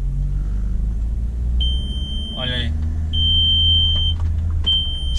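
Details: Automatic car with ABS warning light on, idling: high, steady electronic chime in three long bursts over a low idle rumble; ABS warning active, mechanic suspects low brake fluid, unconfirmed.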